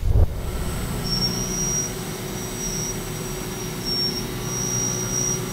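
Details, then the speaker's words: CNC milling of A286 aerospace stainless with depth of cut doubled (20 to 40%, 8% radial): steady milling rumble with a high thin squeal in short bursts as pressure on the tool rises. "you can hear that more pressure on the tool you can hear squealing a little bit more"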